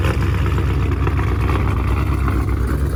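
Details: 426 Daytona V8 (oil changed about 3,000 miles ago, oil very black and low) idling after sounding bad on startup: lumpy uneven idle with loose knock and light ticking; owner suspects rod knock, cause unconfirmed.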